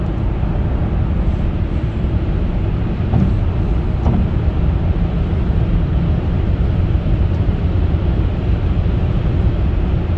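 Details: Opel Insignia 1.6 136hp petrol after timing chain replacement (had a tak-tak knocking) and oil-contaminated pump replacement, highway test drive: steady low cabin rumble, no knocking or ticking.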